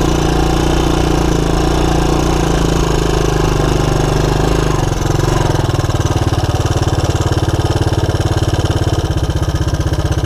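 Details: 1984 Honda ATC200ES Big Red single-cylinder ATV on a 12-volt DC CDI ignition upgrade, idle mixture opened about one and a half turns, shifting through neutral and reverse; steady even thump settling after the gear change, normal idle.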